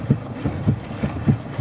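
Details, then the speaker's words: 2001 Chevy Malibu, steering wheel swung back and forth: dull low clunks as steering rack shifts a quarter to perhaps half an inch on loose passenger side rack subframe mount; also clunks over bumps. "so if you swing the wheel back and forth you can hear the clunk pretty readily here it is"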